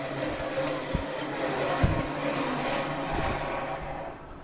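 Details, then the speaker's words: Refurbished one-owner BIRO 3334 commercial meat and bone band saw as its 3-phase converter is shut off; smooth even motor hum with no knocks or grinding, easing off as power is cut; normal spin-down. "Now we'll go ahead and shut our 3-phase off."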